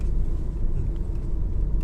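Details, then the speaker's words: Honda Civic after replacing drop links (stabiliser links) that caused knocking: low road rumble driving hard over a hump, no knocking or clunking; steering sharper and tighter. "and then the drive is nice and smooth no knocking whatsoever and the steering feels a lot more sharper and tighter"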